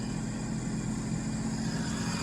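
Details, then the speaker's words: 2010 Sea-Doo RXT 260 with SBT rebuilt engine, tested after carbon seal and jet pump repairs, temperature stable: steady, even idle with smooth low drone, no knocks, misses or surging; runs well and is cleared to go home. "temperature is stable ski is running well we're going to give this a thumbs up to go home"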